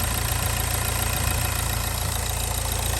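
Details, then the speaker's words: Nissan Juke diesel, very low mileage, just started after running out of diesel, battery nearly dead: very loud, fast high idle right after a cold start that never settles; engine over-revving, cause unknown; parts found left hanging loose. "the most important thing is the engine sounds like to the right right to be fair so it's loud though really really loud"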